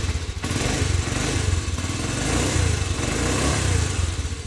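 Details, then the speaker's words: Postie bike single-cylinder after new Lambda MC carburettor and swapped fuel cap to cure flat spots, first start, idle not yet adjusted: steady slightly lumpy thumping idle, even pulses, no misfires; sounds fine. "Yeah. That's not bad. We haven't even adjusted the idle yet. Might just knock it up a little bit in speed."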